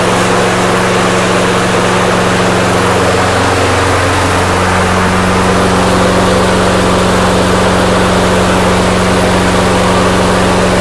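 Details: Snapper mower engine after carburetor jet cleaning holds a smooth, even drone at steady pitch with no misses or surging. It runs properly.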